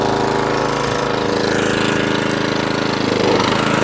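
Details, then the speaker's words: Atco Balmoral 17sk mower after fuel tap replacement, off choke at full revs with the grass box removed: steady engine with an even, rapid clatter of about four beats a second from the cutting cylinder, no hunting or surging; running properly. "so that's off choke full revs no hunting no surging straight down to idle no hunting no surging back on the full revs i took the grass box off you can see the cylinder working"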